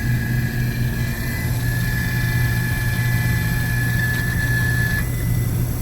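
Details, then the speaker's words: Glycol beer-cooling unit with a 1/3 hp compressor drawing about 6.2 A at 116 V: a thin, steady high squeak over the compressor and fan hum; technician says the condenser fan motor is going bad. "I think we might be losing a condenser fan motor too. That guy was making a funky noise."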